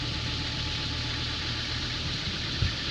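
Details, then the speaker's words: Hagglunds tracked vehicle diesel after extensive engine work, just wearing in: steady even idle with plenty of hiss, no misses or knocks; healthy. "This one has had a whole bunch of engine work and it's just starting to wear in again, sound better."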